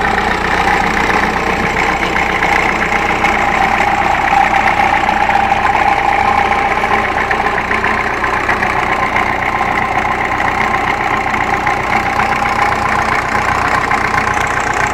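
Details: Ferguson TEF 20C diesel tractor after rebuild of injection pump and engine, charger/dynamo currently broken: even, steady idle with a soft regular chug, no knocks or misses; normal diesel idle.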